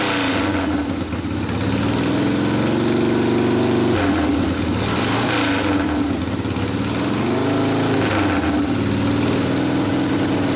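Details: 1972 Harley Sportster XLCH Ironhead after case repair and engine rebuild (came in with kick starter that would not turn over the motor): loud, lumpy V-twin at steady fast idle with small rev swings, no knocks or grinding; normal running.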